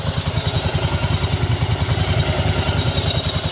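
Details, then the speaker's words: 1985 Yamaha Virago 1100 V-twin, back running after 8 years in storage and carb and fuel repairs: fast, light ticking over a lumpy idle; it also stalled and won't rev past about 5500. Valve tick, needs valve adjustment. "so we got some valve ticking obviously need to do an adjustment on the"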